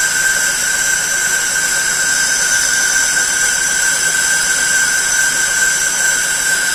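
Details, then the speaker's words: Lathe roughing high-impact ductile iron marine engine coupling held in a four-jaw chuck, one-hundred-thousandths depth test cut: steady machine hiss with constant high, even tone, no chatter or squeal; clean, healthy cut that sounds pretty good. "okay that sounds pretty good"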